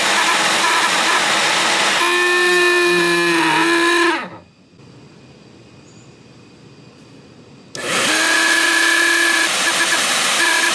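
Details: Shop vac: loud whining motor with wavering high tone and rough edge, stopping then restarting the same way; motor bearings likely dry and need lubricating.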